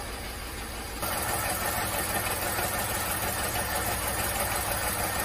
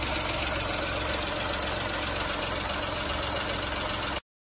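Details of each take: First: VW Fox/Polo 1.2 6V three-cylinder (BMD) idling with a regular stumble and jerk every few beats; cylinder 2 misfire (P0302), only 5 bar compression; plug, coil, injector swaps didn't move the fault. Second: VW Fox 1.2 L 6V three-cylinder (BMD), after repair of a cylinder 2 misfire from a burned exhaust valve: steady, even idle pulse, no misfire stumble, no valvetrain ticking.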